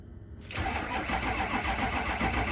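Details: Diesel cranking after oil cooler, EGR cooler, dummy plugs and STC fitting work with four gallons of oil; steady sluggish churning, not catching, oil pressure sensor oddly reading pressure; owner suspects low batteries — slow cranking.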